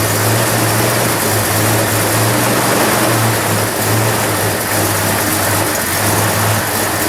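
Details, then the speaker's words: 1997–2006 Jeep Wrangler TJ, first start after installing a new Crown header-back exhaust: steady low idle hum that wavers a little. Slightly rough idle; owner thinks it may need a tune-up, cause not confirmed. "Looks like we're gonna need a tune-up maybe. A little rough idle there."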